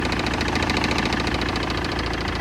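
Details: BMW E60 2.0 diesel, 2006: steady idle with a rapid, even metallic knock on every firing cycle, sharper than normal diesel clatter; engine knocking at idle.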